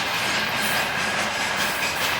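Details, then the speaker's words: Passing Russian freight train hauled by an electric locomotive: loud hiss of wheel noise with a thin high squeal over it, one wagon crackling, squeaking and knocking badly; source not pinned down. "Вот там вот что-то трещит в этом поезде капитально."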